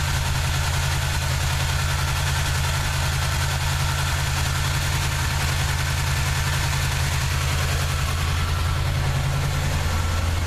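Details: '79 Chevy truck 350 V8 with automatic choke, deep idle with uneven loping beat that stumbles like a cylinder dropping out; nagging misfire despite sound compression and clean, unfouled plugs; cause unknown.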